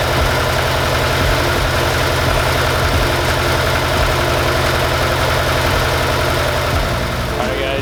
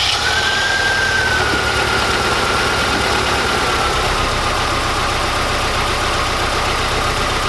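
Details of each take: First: Mazda Miata at first start after installing adjustable polyurethane motor mounts: steady, even petrol idle with a regular low pulse, no knocks, noticeably less shake; normal idle, though it later stalled with a suspected air leak. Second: Mazda Miata at idle before polyurethane motor mounts are installed: a loud, rough idle with a heavy low shudder, the worn engine mounts letting the engine shake the whole car.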